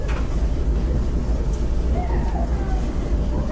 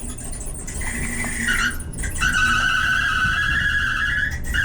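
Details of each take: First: Clothes dryer that screeched, after idler pulley replacement and roller cleaning and lubing; low steady drum rumble with no screech or squeal, turning smoothly and much quieter. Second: squeaky well as you could hear that was pretty bad that screeching squealing noise was just about as bad as it gets with these dryers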